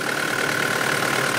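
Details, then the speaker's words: Mitsubishi Delica diesel, automatic, recently serviced, started from completely cold: an even idle with a steady fan rush and no knocks or misses, quiet for a diesel, fan working fine, normal. "as you can hear it's running away it's it's actually pretty quiet for a diesel very good condition no oil leaks at all fans working fine"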